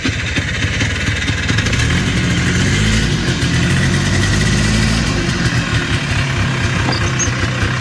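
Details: Polaris Trail Boss 250 two-stroke ATV (titled 2000, owner guesses 1988 or 1992), running outdoors in cold weather after carburetor work. Steady, low, even burble with no misses or stumbles. Runs normally now.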